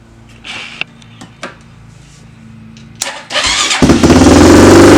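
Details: Honda 400EX ATV being rebuilt, after no-start troubles (dirty painted ground wire suspected): a few clicks, engine catches at three seconds and revs up crisply and evenly with no misses. Normal running.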